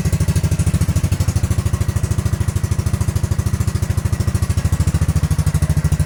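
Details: Honda Grom after ABS module delete and wiring bypass: crisp even thump at about three beats per second, steady with no misses or clatter; healthy small single idling.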